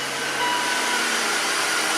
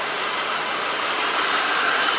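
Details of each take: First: 2004 BMW X5 3.0-liter after misfire diagnosis with gas analyzer and new coil, restarted so computer re-enables the cylinder 2 injector: even steady idle hum, no stumbles, smooth. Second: 2004 BMW X5 3.0 L at idle after coil swap: steady idle under a loud hiss with a slightly uneven pulse about four per second; still misfiring on cylinder 2 because the computer has shut off its injector.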